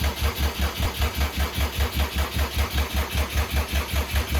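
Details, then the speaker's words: 2007 Subaru WRX swapped to STi engine, first start-up with some plumbing disconnected, crank gear teeth intact: steady, even cranking about two and a half beats a second, never catches; crank no start, timing set incorrectly. "okay so that's it cranking over um i understand that you know there's plumbing disconnected but uh it should try and start and that's where we're kind of at right now"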